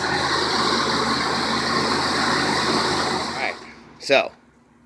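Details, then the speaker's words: Courier after replacing two leaking exhaust manifold gaskets and all vacuum lines: smooth, steady hum without manifold ticking or puffing before shutdown; owner still hears a chirp somewhere; quieter, normal running. "quieter, absolutely wonderful performance."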